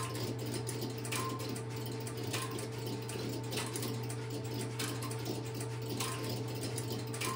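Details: Stromberg Carlson X-Y telephone switch, camera at the equipment, after a call is placed: steady low electrical hum with faint regular ticking about once a second as the interrupter starts and runs; normal.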